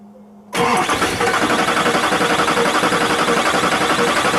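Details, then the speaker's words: Duramax LBZ diesel, first start after installing 60% over injectors in a rebuilt engine aiming for 700 hp. The starter catches and the engine fires at once, settling into an even, steady idle with no knocks or odd noises. Normal startup. "hopefully we're we're in business here and starts right up no noises no freakish things"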